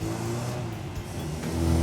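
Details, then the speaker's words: Customer's car on a road test after restoration work: even, steady engine note under light throttle, rising smoothly with no knocks or misses. The car ran quite well with no problems. "so we took it out for a quick road test and the car ran quite well no problems"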